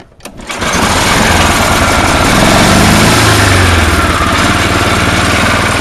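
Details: Tecumseh engine on a snow blower with a Chinese carburetor, float bent to top height, choked: pull-start catches immediately and revs to a steady, even drone with no surging or stumbling; running fine after carb fix.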